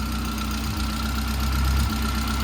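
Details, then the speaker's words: Saab 900 Turbo project car with petrol engine at idle after stalling issues, a fast, light lifter tick from the valvetrain on top of the idle, heard up at the top of the engine; hoped to quiet down. "all right that seems to be idling fine yeah lifter tick again man it's brutal"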